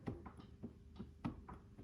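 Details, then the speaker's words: 1997 Honda CR125 before its rebuild, wheel spun by hand: uneven gritty clicks about four times a second from worn wheel bearings, front and rear alike; both were replaced. "oh yeah, wheel bearings, I mean, you can hear them, like you probably can't see it,"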